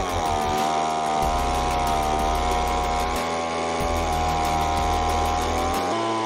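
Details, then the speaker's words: Echo two-stroke leaf blower after a no-start repair, running with a touch of choke removed: steady, even buzz holding speed with quick throttle response, no misses or surging; runs smoothly and restarts easily. "uh well that doesn't sound too bad i reckon pretty uh quick response"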